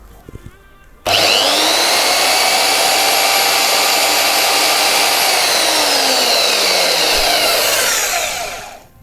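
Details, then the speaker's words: Aldi Workzone bandsaw running after its snapped drive tyre was replaced with a cast one from a 3D-printed mold, blade tensioned: steady even whir at a constant high tone, no thumping or slapping, smooth wind-down; repair appears to work. "We might be in business. That might have actually worked."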